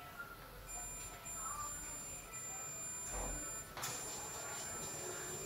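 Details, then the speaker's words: Multimeter on continuity setting, probes across both ends of a fuse: steady unbroken high beep for about three seconds; continuity present, fuse is good. "is the song that I'm talking about that you in here right and there's not a fuse here so the fuse is good right"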